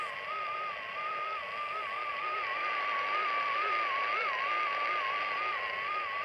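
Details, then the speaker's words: Clansman PRC-320 radio receiving a test tone from an RF generator set to about 14 MHz: the audio warbles up and down in pitch about three times a second instead of holding steady, the typical Clansman audio wobble. "Okay, that's a typical audio wobble, and yep, it's one of those things that many people get with a Clansman over time"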